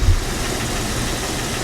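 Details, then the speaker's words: Engine running rough with misfire codes P0300, P0304 and P0320 after new spark plugs, still on the old coil pack: rough, uneven idle with a dull knocking inside the engine under the rumble; cause of the knock unknown, owner asking for help. "So guys, I don't know if you can hear that. It's like a knocking sound"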